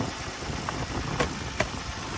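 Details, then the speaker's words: 2009 Lexus ES 350 salvage car on jump pack, alternator charging over 14 volts: steady, even idle rumble with no misses or knocks, just a couple of stray clicks; engine running smooth at idle. "engine is running smooth. Nice, pretty nice."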